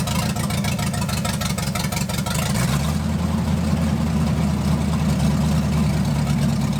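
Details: 1980 Dodge short-bed truck with big-block V8, first run in 14 years, during cam break-in after converting from points to electronic ignition with factory harness: deep, steady fast idle, no knocks or misses; running healthy.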